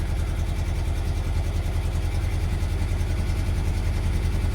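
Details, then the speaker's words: Classic Lancia Flavia under restoration, baseline start with the air cleaners removed before carburettor tuning with airflow meters. Uneven, lumpy idle with a low pulsing beat around 200 a minute that wavers irregularly; the carburettors are out of tune. "I mean it's running but it's it's lumpy so to do this job properly the these are the uh air meters right air flow meters air flow meters"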